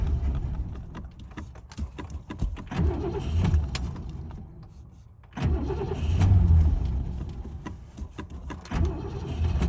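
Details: 1967 Lincoln, first start after gas tank install and adding six gallons, fuel still being pulled up to the carburetor: two long stretches of deep rapid starter cranking with no catch; cranks but won't start yet, later starts.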